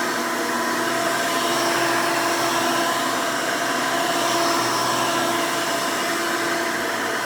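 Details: 1992 Hoover Elite II Total System Performance 650 upright vacuum (U4689-910), motor needed no work since purchase, running: loud, even roar with steady whine holding pitch, no knocks or scraping; runs very nice and smooth, motor sounds healthy.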